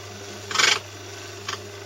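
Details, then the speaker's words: Household stone grain mill set by backing off, starting it, then tightening until a light rubbing is heard. Low steady motor hum with two brief soft rasps as the stones just touch: correct grinding gap. "on revient en arrière assez largement, on met en marche, et puis on resserre jusqu'à ce qu'on entende le petit bruit de frottement."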